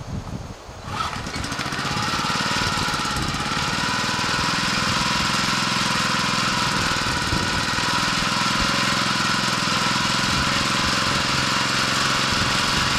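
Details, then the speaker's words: 1981 Honda F200 garden tiller, cold start after sitting a year: a pull or two, then the small single catches and holds a steady, even chug with no misses or smoke, choke in use; healthy running. "You can always count on your Honda engine to start up fairly quickly. 2 or 3 pulls is not too bad for sitting there for a year. It's not smoking or anything."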